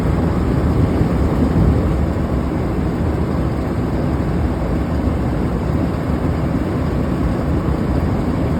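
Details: Large exhaust fan running with loud rough roar and gritty low rumble from bad bearings; belt in good shape, retensioned and wheel lubricated with Teflon spray, motor then ran fine.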